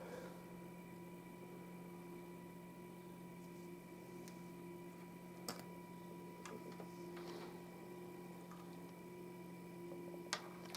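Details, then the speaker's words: Homemade single-supply discrete 5W quasi-complementary amplifier on breadboard, input disconnected: thin steady high tone over low mains hum, also seen on scope; amp seems to produce a 1 kHz sine wave by itself, cause unknown. "The input's disconnected. There's that noise that I was seeing on the scope before, too. But interestingly, the circuit seems to be producing a 1 kHz sine wave by itself."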